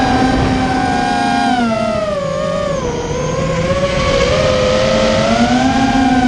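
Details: Immersion Vortex 250 Pro quadcopter motors on test run after fixing bad bearing sounds, which the owner thinks are fixed; one motor slightly warm: clean whine rising and dipping smoothly with throttle, no grinding or rattle. Normal running.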